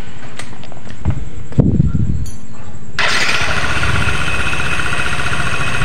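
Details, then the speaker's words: Yamaha NMAX scooter run with V-belt, CVT fan and rear pulley removed to test the crankshaft: after handling clatter, catches and settles into a smooth, even idle with no knock; crankshaft fine, fault is only in the CVT. "Oke rekan-rekan, bisa rekan-rekan dengar sendiri ya, untuk suaranya sudah halus, berarti si crack as atau bandulnya ini aman ya rekan-rekan, tidak ada masalah."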